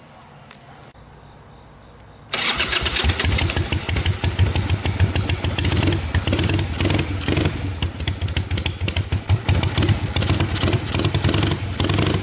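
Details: 1985 Harley-Davidson Ironhead Sportster, with a leak at the rear cylinder jug, starting before a test ride; quiet, then it catches at once into an uneven potato-potato idle about three beats a second, starts and runs normally.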